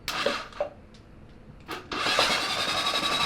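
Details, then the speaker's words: Honda CB750 SOHC 750cc engine swapped into an 80s Suzuki Quad Sport 230, cranked for the first time in years with fresh 10W-40 oil and lubricated cylinders: after a couple of clicks, a fast, even starter whirr with no grinding; normal healthy cranking. "hey starter sounds great yeah man so you just got them nice and lubricated basically"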